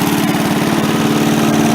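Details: MTD push mower small single after carb cleaning, far less smoke, oil not yet changed: steady idle thump that never picks up when the throttle moves; the throttle spring was hooked wrong on the linkage when the carb was refitted.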